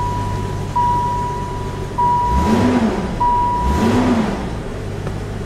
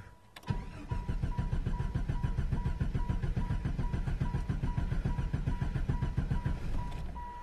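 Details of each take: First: 1995 Jeep Grand Cherokee after PCM repair fixed a no-start with a clicking ASD relay: starts right up and idles steadily with light revs under warning chimes, sounding healthy. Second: 1995 Jeep Grand Cherokee cranking steadily about six seconds at three to four pulses a second without catching; no-start with loudly clicking ASD relay and flickering check engine light, traced to faulty PCM.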